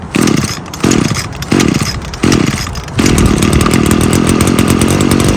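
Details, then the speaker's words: Small two-stroke engine (trimmer-type) after carburetor disassembly and cleaning: four quick blips snapping crisply to a high buzz without hesitation, then steady hold; good throttle response, no bogging, no adjustment needed. "as you can hear it's got good throttle response it's not bogging either so no need to do any adjustments so I think we're good"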